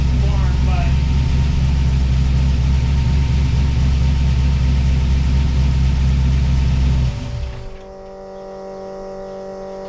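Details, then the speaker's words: 1979 Pontiac Firebird with a swapped 5.3L V8, idling after the intake manifold leak hole was plugged with a bolt: steady, lumpy, even deep beat for about seven seconds, then shut off; a little smoky but healthy idle. "he is a little Smokey though but I'm so excited to feel that transmission Shi into GE and to hear it idling like this"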